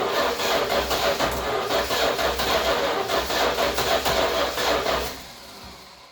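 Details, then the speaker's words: 1966 Chrysler New Yorker parked about 18 years, first start with fuel poured down carb: V8 catches and runs with uneven stumbling beat, "sounds like a bus", then dies; rough running, owner suspects fuel starvation, carb needing rebuild, possibly timing. "Here we go. Sounds like a bus. Right. Obviously not getting enough fuel."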